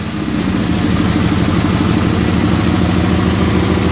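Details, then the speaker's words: Cold start of a Suburban garden tractor twin (1968 Hydro Trac 12 or c.1974 SS16) idling on choke: loud, lumpy, uneven beat, rich and fighting to stay running. It is cold-blooded and runs perfectly once warm. "let her get wet and then she's fighting she wants to shut off but if you let it sit here in idle with the choke on for probably 30 seconds no it ain't happy"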